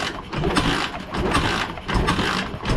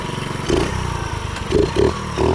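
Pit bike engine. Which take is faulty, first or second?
first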